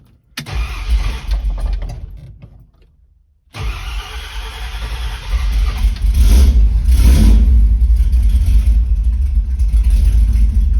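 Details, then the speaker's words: Ford Torino with long-tube headers, after fitting a new mini starter: short crank stops, second crank catches quickly and settles into a strong steady run with some revving, started without choke; starter cranks fine. "So, first impressions of that starter are pretty good. It has no problem cranking the engine over, and I'm really looking forward to using it in the future."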